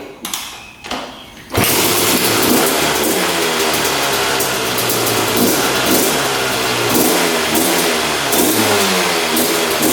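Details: 2001 Honda CR250 two-stroke dirt bike that the seller said would not run, started on the choke and firing on the second or third kick; it revs raggedly and slowly, smoking a lot, with sluggish throttle; owner suspects rich running, cause unconfirmed.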